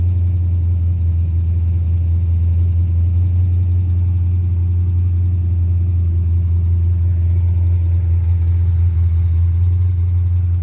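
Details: Carbureted 5.3 LS swap in a Mustang with MSD LS-series ignition: a steady, raised idle with a deep, even drone and no dips or misses. It starts and dies and idles fast; carburetor, timing or vacuum leak suspected, not confirmed.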